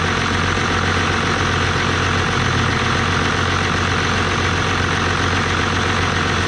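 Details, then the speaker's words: 1989 Dodge Ram D250, 12-valve Cummins turbo diesel with VE pump, at normal operating temperature after new water pump and thermostat, no leaks: steady, even diesel clatter with smooth low rumble, no misses or knocks; healthy warm idle. "all right so since i had this truck this was the first run um getting it all the way up to normal operating temperature and everything seemed to do great no leaks"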